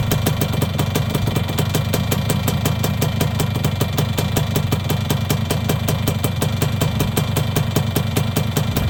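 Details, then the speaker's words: Yamaha YB100 two-stroke at idle after fitting a new exhaust: steady idle with a sharp puffing tick on each firing, about five a second; still a big exhaust leak, though much less than before. "Got a pretty big exhaust leak. But a lot less of an exhaust leak than there was, for sure."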